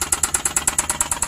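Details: Suzuki K6A engine at idle: sharp metallic knocks, about nine a second, steady over the idle.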